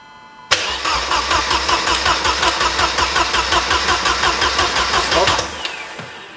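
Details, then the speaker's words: Mercedes 190E after engine swap: steady fast cranking around three beats a second for five seconds, never catches, fuel pump whine not heard this time; cranks but won't start. "I didn't hear the fuel pump line this time did you [Music] no try again"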